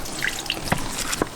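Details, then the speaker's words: Inground wooden pool foundation drainage pipe after rain, pipe pushed down: faint steady trickle with occasional drips echoing in the pipe as water runs through freely; drainage working normally. "Pushing that pipe down a little bit. I'm not sure if you can hear it, but it's working."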